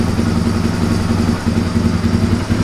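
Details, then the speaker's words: 1997 Suzuki DR350 single with a history of unsteady idle and backfiring, choke now off: slow, even low idle with no stumbles or pops, the longest and lowest it has idled; normal idle. "I don't think it has ever idled this long and at such low speed that's a nice idle"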